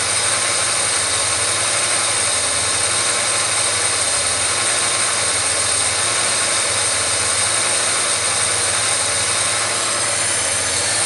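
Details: Engine idling after Cobra cam installation with a loud airy hiss and slow rhythmic idle hunting; vacuum leak from the fuel pressure regulator hose disconnected from the vacuum tree behind the throttle body, before repair.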